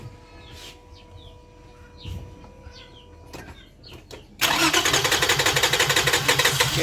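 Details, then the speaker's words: 2005 Toyota Highlander that sat for a month with rats inside, now on a new battery, no codes stored, and 12 V reaching the injectors: it cranks fast at about three beats a second but never fires, a crank-no-start. "get been trying to started for a while now it's not starting"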